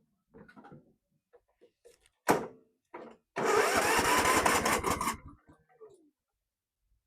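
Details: Tecumseh 17.5hp Yardworks ride-on mower, final crank after fuel pump and then suspected carburetor problems: short, ragged crank under two seconds that dies without catching; a failing starter is blamed, and the machine is to be parted out.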